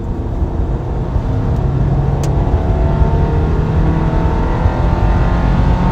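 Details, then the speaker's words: Subaru Forester with fresh Legacy engine, previously random misfire (P0300) at 5000 rpm, after replacing damaged crankshaft tone wheel: engine pulls cleanly past 5,000 rpm with no stumble; misfire fixed. "5,000 yes fixed woo"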